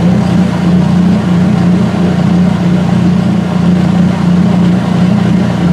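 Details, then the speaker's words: Washer drain pump during the drain and spin before the dryer's first load: steady low gurgling drone with a slow wah-wah surge about every second, heard in the pipe; pump sucking air, drain pump cavitation. "Be about another 20-30 seconds or so. The pump is cavitating."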